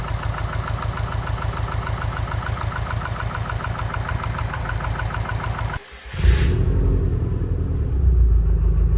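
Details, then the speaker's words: Subaru STI after an engine rebuild; an even, steady idle with no deep rhythmic knock, then a smooth blip of revs, sounding healthy, though a belt squeaks and the owner suspects a front noise is the power steering pump. "All right, well, honestly, I'm gonna call that a success. She sounds good."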